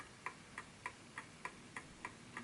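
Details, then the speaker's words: Smiths Enfield oak pendulum mantel clock after nudging the case level: crisp, evenly spaced ticks about three per second with no limp; clock running in beat. "So it has to be a perfect ticking clock, because that's when it's found. There we go. That's the"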